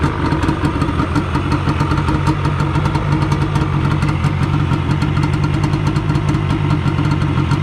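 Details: 1997 Yamaha Banshee two-stroke twin on restored OEM stock exhaust: steady, even idle with rapid low burble, no misses or knocks, quieter than the earlier pipes; normal idle.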